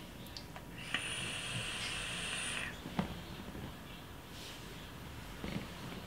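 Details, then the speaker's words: Aspire Tigon pen-style vape, airflow closed halfway for warmer vape: thin high steady whistle over the draw hiss for about two seconds, an unpleasant whistle caused by the half-closed airflow. "toutefois avec l'air flow un peu fermé on a ce sifflement un peu désagréable qu'on entend écoutez bien je refais"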